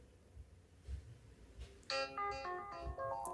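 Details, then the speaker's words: Samsung Galaxy S25 Ultra in-call speaker test in Phone Diagnostics; clear clean test melody with no rattle or distortion, speaker working fine; normal speaker test tone. "First, the phone will test the in-call speaker. Tap Play and you will hear a test sound. If you can hear it clearly, tap Yes to confirm."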